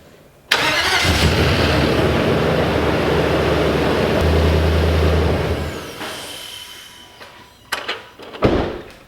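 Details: 2005 Nissan Titan V8 after replacing the starter with a failed solenoid (intake removed for access): quick starter whirr, then a deep steady rumble that settles smoothly; clean start, no grinding or hesitation.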